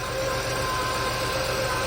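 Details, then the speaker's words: Chevrolet Lumina Euro with 3.1 engine idling on a weak battery: healthy rumble with a steady high whine from an accessory pulley, suspected power steering pump, possibly water pump or alternator; pulley whine. "definitely here's some pulley if it's the water pump or the alternator you hear that whining"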